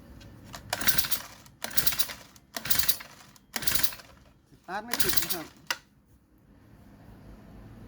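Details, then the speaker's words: Four-stroke brush cutter (grass trimmer) that won't start: recoil pull-start spins the engine freely with a smooth whir and no compression thump; leaking valves suspected, valve clearance found uneven, to be reset. "เสียงเหมือนกับวาล์วรั่วนะครับเสียงไม่มีแรงอัดวาล์วจะมีปัญหาหรือไม่หรือว่าเกิดจากสาเหตุอะไรเรามารื้อกันเลยนะครับ"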